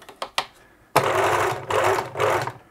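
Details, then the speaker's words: 1980s Singer Futura sewing machine (model 1000, 1100 or 2002) with a stitch-selection problem: short bursts of even motor whir, steady pitch, no knocking or grinding; the motor sounds okay. "but at least it it goes you know the motor sounds okay"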